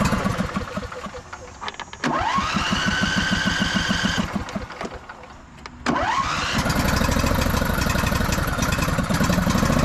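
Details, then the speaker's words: Husqvarna YTH2242 with a Briggs V-twin, started with the belt tension loosened; two quick restarts, then an uneven, lumpy beat that won't settle. It is running badly and down on power (bent push rod). "It's not sure how it wants to run. It's really down on power. Transmission feels pretty good. But yeah, you could tell engine is not running right."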